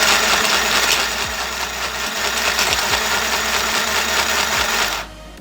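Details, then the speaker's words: Mini electric sewing machine runs with a fast even whirr and light rhythmic clicks, but the needle cannot pick up the bobbin thread so no stitch forms; hook timing off, case to be opened for repair. "you're seeing and no stitching there but the thread is there already here in the bobbin case you can see that's the thread of the bobbin and the needle there cannot take the bobbin uh thread up"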